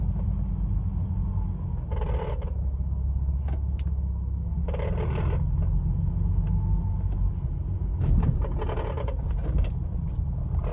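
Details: 2005 Ford Mustang convertible RWD, cabin mic: around 1000 rpm when cruising or lifting off the throttle, low road rumble with short buzzy rattle bursts from under the dashboard, mostly passenger side; owner suspects a loose bolt, no transmission kick felt.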